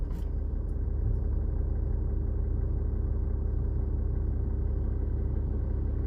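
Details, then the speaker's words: BMW X5 E53 3.0d diesel, after replacing long-neglected main fuel filter that caused rough idle: steady, even low rumble with no lumps, misses or hunting; idle now normal. "idle's nice and perfect now sophie that'll stay like that now"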